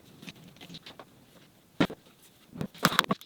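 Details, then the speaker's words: Rebuilt high-speed lathe spindle motor (rated 15,000 RPM), rotor reinstalled and turned slowly by hand: a few light, irregular clicks; stator was never secured in its housing, loose stator clicking. "Hmm, I don't remember it making that clicking noise before, that doesn't sound good at finger speed, so I doubt it will at 15,000 RPM either;"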